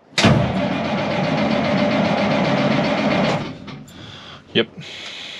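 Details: 1986 International S-series dump truck, L10 Cummins diesel, 12 V system: starter cranks steadily about three seconds without catching, then stops; fuel shutoff solenoid not opening (intermittent), runs only with thumb-screw override.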